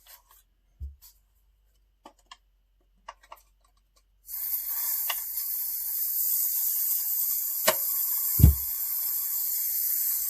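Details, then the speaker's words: Umarex Origin airgun, EPS system removal: steady hiss as the EPS side is degassed, with a few sharp metallic pings as the tight, grabby brass EPT valve slides back down the tube. "i don't know if you can hear the pinging but that's the ept valve sliding back down it's kind of kind of grabby"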